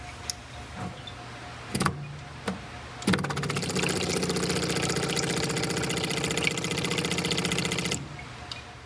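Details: 1960 MGA 1600 SU electric fuel pump removed from car, run in solvent off a battery: a few stray clicks then fast even ticking steady about five seconds; pump cycles normally, owner suspects clogged tank line instead.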